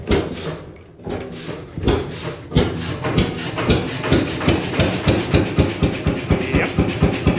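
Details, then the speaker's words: 1928 Beijer 13 hp two-stroke hot bulb oil engine, 10.4 L single cylinder, normally about 400 rpm: slow heavy thumps about two per second picking up pace as fuel pump is turned up from zero-rpm running; normal running. "so if i now engage the fuel pump and tune it up it should be running faster"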